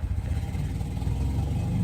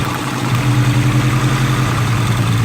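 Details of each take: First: Honda Integra after installing eBay 550cc injectors and addressing a cylinder 4 issue, not yet warmed up: deep, lumpy, wavering idle, better and snappier than before; rough idle, owner suspects it may need ECU tuning. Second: Budget Honda Integra build after fitting 550cc eBay injectors with a chipped ECU, cylinder 4 issue addressed. Even, steady idle with a smooth low rumble and no missing beat; hitting on all cylinders.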